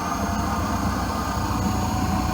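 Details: Nilfisk Elite vacuum cleaner: steady motor roar with a thin high whistle on top and a rough fluttering rumble underneath; the clogged tube caused the abnormal noise.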